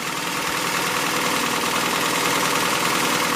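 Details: 1984 Toyota Celica GTS RA65 22RE engine idling after valve cover gasket replacement and vacuum leak found: smooth, even idle with steady hiss, no knocks, ticks or misses; sounds normal and healthy.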